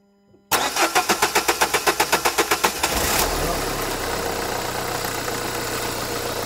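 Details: 2011 Renault Kangoo 1.5 dCi 86 hp diesel, under 100,000 km, hard starting: about a dozen even compression beats while cranking, then it catches to a steady idle; owner suspects a Delphi injection pump fault with metal filings.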